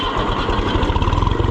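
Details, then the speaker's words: Oliver 1250 (FIAT-built) diesel tractor, started after sitting a good while, coolant low: fires right up and settles into a quick, even putter with steady pulses and no knocking; healthy idle. "Sweetheart fires right up. Yeah. What a nice little thing."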